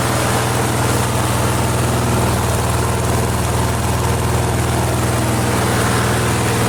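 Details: Flea-market lawn mower with Briggs & Stratton 5 HP engine, primed three times, half throttle: steady even low drone with no misses, knocks or surging; runs smoothly.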